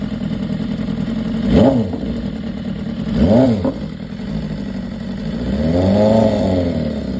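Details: 2015 BMW S1000RR inline-four at 7.8K miles blipping up and settling back to idle three times, a light fast metallic tick over the valve area throughout; top-end ticking.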